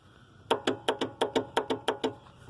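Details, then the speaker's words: Riding lawn mower that won't crank though the battery is not dead; owner notes rain gets in under the seat: quick run of about ten sharp clicks, roughly six a second, with no cranking; starter solenoid clicking. "the solenoid that starts it."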